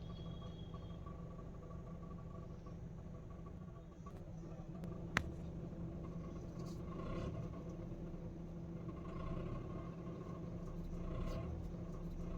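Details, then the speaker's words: Honda petrol car with 112,000 km: rough, diesel-like knocking clatter from the engine at start, louder with AC on and when revved on the accelerator. "जब हम गाड़ी को start करते हैं काफी ज्यादा engine से आवाज़ आती है कड़ने की जैसे डीजल गाड़ी स्टार्ट हो रही हो इस तरीके की आवाज़ आती है"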